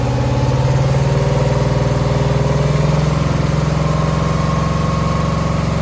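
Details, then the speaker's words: 2009 Subaru Forester X NA EJ253, remanufactured OEM heads, third start after engine install: loping idle with a stumble about 150 per minute, steady miss on one cylinder, not smoking; owner suspects cylinder 2 from cracked head or water in block. "I mean, we definitely still have a miss, but it's not smoking. I got coolant in it."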